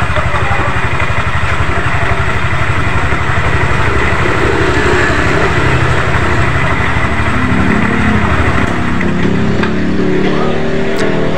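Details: Yamaha NMAX scooter after replacing worn CVT roller housing, roller fan and loose V-belt (valve clearance also too loose, causing clatter): rattling and rough belt noise gone, even steady low engine beat; drivetrain now clean, belt tight.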